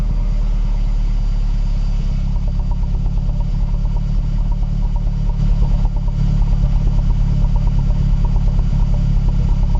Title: Cold start, rough idle (looks like misfire) - Mazdaspeed3 / MPS